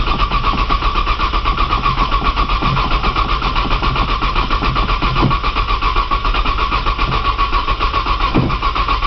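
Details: Cold 1995 Nissan Maxima, 210,000 miles, push-button start, in snow, new battery, jump box attached, priming fuel: steady rhythmic starter churning about four beats a second for the whole stretch, never catching. Long crank, no start.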